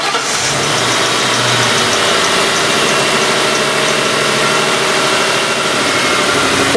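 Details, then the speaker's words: 2003 Mercury Grand Marquis 4.6 L, idle air control motor already replaced, check engine light P0507: engine settles into a fast, busy idle that never drops; high idle speed, fixed by adjusting minimum idle speed. "2003 Mercury Grand Marquee with a 4.6 L engine customer complaint is a high idle speed and a check engine light"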